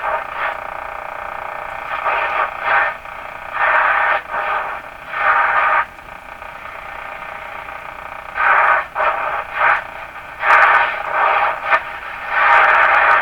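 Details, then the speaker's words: Stromberg Carlson Model 515 radio warming up while tuning the band: irregular bursts of hissy static with no station, which the owner suspects is just interference in the shop. "Now that sound you hear is probably just interference here in my shop."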